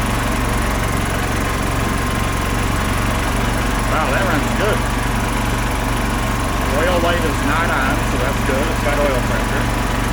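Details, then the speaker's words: 2005 Club Car Precedent gas golf cart, first start after about 5 years sitting, given some choke; carb bowl possibly varnished. Steady, even small-engine chug with no knocks, misses or rattles at idle; runs smoothly. "so there it goes wow she's a runner oh that's awesome"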